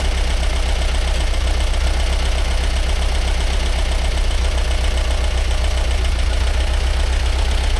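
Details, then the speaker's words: 1945/1946 Allis Chalmers Model B tractor, magneto ignition, barn-stored about 20 years, after some dirt was cleared so fuel could get through: low, even chugging at a steady idle with no knocks or misses; running smooth and sweet. "Oh, that sounds pretty good. It's running sweet now."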